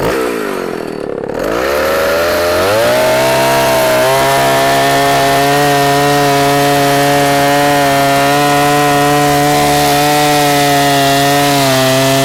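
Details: Vintage 44-year-old Husqvarna L65 chainsaw with points ignition, cutting a big oak log: revs from a low idle to a strong steady high whine that holds evenly under load. Lower rpm than modern saws but torquey; healthy, clean cutting.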